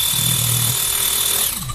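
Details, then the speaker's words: Xiaomi MJCQB02QJ electric air pump, previously showing an E8 fault, after replacing one part believed to be the air pressure sensor: steady, even buzzing hum with a constant high whine, no knocks or rattles, then a clean spin-down; it works normally again. "好，先给各位看一下，这样子它已经可以正常的使用了。"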